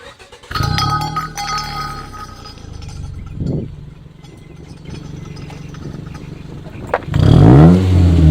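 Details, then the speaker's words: 2005 Honda Civic with a budget eBay muffler fitted to the stock exhaust via adapters and flex pipe, silencer in, on a test drive: deep even exhaust drone swelling on acceleration, no rasp or rattle; normal, clean exhaust note. "it sounds good there's no rasp there's no rattle no reap op has just got a nice clean sound"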